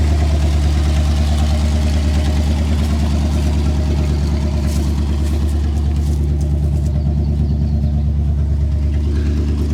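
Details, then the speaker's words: Dodge Adventurer 4x4 revived after 10 years sitting, on a dead battery, revved hard: steady deep drone with a loud raw exhaust note at raised revs; owner suspects the muffler fell off. "Oh, listen to this, eh? I think the muffler fell off."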